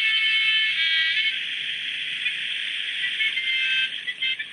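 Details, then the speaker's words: Maxitronix 10-in-1 one-transistor radio with diode detector, connected to a roof aerial: thin tinny music and speech over a steady high whistle. The set is receiving a station properly. "Okay, that's amazing. We've actually picked up an audio signal. I can hear someone talking. I've got music."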